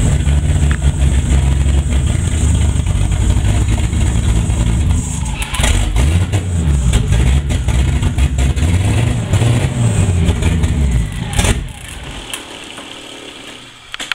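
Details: Turbo BMW E30 with 30lb injectors on WAR chip turbo base tune, running extremely rich, new plugs, constant CEL: held at about 2000 rpm with uneven lumpy drone, sags and dies around twelve seconds; won't hold idle, stalling.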